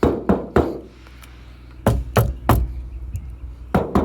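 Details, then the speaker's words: Irregular hand knocks on a 40-year-old car door panel after restoration and added sound deadening, everything fastened in place, give short dull thuds dying quickly with no tinny ring; panel sounds solid and well damped. "and it's still solid, so it came out really good. After adding that sound deadening, look here. There a difference?"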